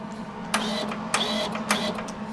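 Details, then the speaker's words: Millermatic 135 MIG welder with a trigger/wiring failure: wire feed motor whirring in short bursts that cut out unpredictably under a steady hum, not responding to wire speed or voltage changes; intermittent wire feed. "if I change the uh voltage and well excuse me that's a wire speed and the voltage nothing happens what was that hey I could be totally wrong it'll all be dipped but it's not right"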